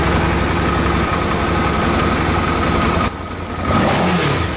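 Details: Suzuki DL650 that sneezes during warm-up and at small throttle openings, with a wandering idle; fuel pressure read about 1.5 against a specified 3, and fuel starvation is suspected but not confirmed. The idle is uneven, stumbling, dipping and surging.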